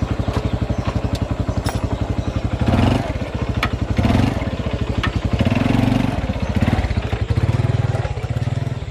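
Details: Honda Revo FI motorcycle, single cylinder, after working on the centrifugal clutch shoes: in gear climbing a low step it swells smoothly and pulls cleanly without slipping or bogging, no need for high throttle.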